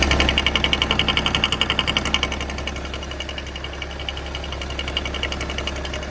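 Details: BMW M57 diesel idling: sharp rapid knocking over diesel clatter, loudest early, big knock only with oil cap open; attributed to vacuum pump, harmless.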